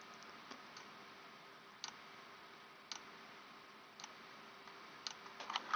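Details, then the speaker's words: Carbon doser regulator solenoid valve after repair, plugged in for testing: crisp single clicks about once a second in a quiet room, indicator light dim but on; solenoid cycling normally. "here it is clicks every second or so and the light very dim but it comes on it's working"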